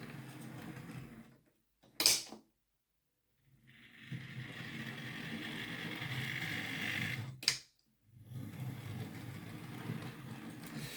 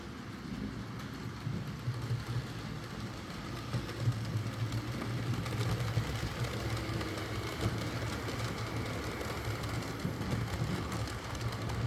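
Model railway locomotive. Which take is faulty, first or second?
first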